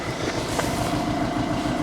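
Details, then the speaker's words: Skoda Superb diesel idling after a broken injector bracket bolt was removed and re-threaded, no fault codes: uneven, lumpy idle with a dull knocky beat and weak exhaust flow; timing problem suspected. "it sounds a little bit mocky and i can hear some i don't know hear some sort of noise going on first of all i thought it's like sound like a bit of a vows problem timing problem"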